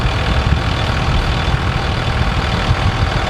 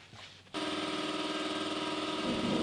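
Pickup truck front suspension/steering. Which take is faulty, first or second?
second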